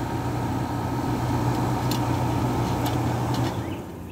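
Steady compressor hum and fan rush run evenly throughout, with a few handling clicks; the unit sounds healthy.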